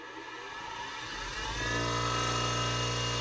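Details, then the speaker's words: Old Wolf bench grinder just after its switch was fixed: motor spins up over about a second, then a smooth, steady, well-balanced hum with no grinding; owner unsure whether a noise is a bearing. "pretty good pretty well balanced i don't know if that noise is a bearing but i don't hear any grinding"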